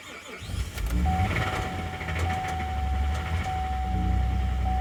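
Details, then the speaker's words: 2011 Chevy Traverse 3.6L V6, towed in after stalling with low battery, jump-started after several tries: engine runs rough with loud harsh mechanical clatter/tapping and thin whine; failed timing chains, codes P0011 P000D P0024. "Ooh boy, that doesn't sound good at all. That smells. Oh no. I think that's an engine noise."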